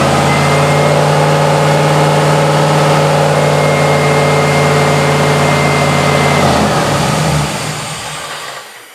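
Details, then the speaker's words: Mazda RX-7 with LS6 intake manifold, just after startup following intake gasket repair: hangs at a fast, steady high idle of about 2,000 rpm, then winds down; owner suspects the unplugged MAP sensor vacuum line causing a vacuum leak. "cranked it up. It went to revving to 2,000 RPMs right off the rip. No clank from the starter though."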